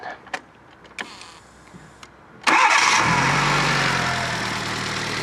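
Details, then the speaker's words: Fiat Panda 4x4 Sisley converted from carburettor to throttle-body fuel injection, cold engine, no choke, fuel pressure about 10-12 psi: quick cranking then clean catch into steady even idle; normal cold start, running sweet. "no choke nothing this is a cold engine right then so fuel pressure is around 10 psi probably just slightly over it actually 11 psi maybe 12. whatever it's running sweet as anything listen to that"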